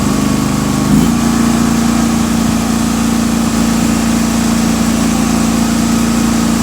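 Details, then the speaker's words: John Deere 316 with swapped-in 18hp Briggs & Stratton Vanguard V-twin, warmed up, at high rpm after repair: smooth, steady drone with no misses or knocks; no backfire now that the fuel shutoff solenoid works. "This thing sounds great. man, this thing runs good now. And there's no backfire now because the fuel solenoid shutoff valve there is working as it is supposed to."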